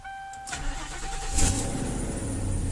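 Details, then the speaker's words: 2011 Ford Crown Victoria P7A, cold start: brief crank then thin steady high squeal over idle; owner suspects drive belt or tensioner. "car nice cold start Borya you're going to hear a belt squeaking that's just because the what do you call it I know the belt on this card so it's either something with a tensioner or the belt itself"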